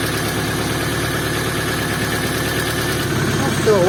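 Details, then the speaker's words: Opel C20XE engine on a frosty morning cold start with a weak battery, after the hydraulic lifters were cleaned: a smooth, even idle with a low hum. The brief cold knock stops and the lifters go quiet; normal idle. "и затихли это уже радует"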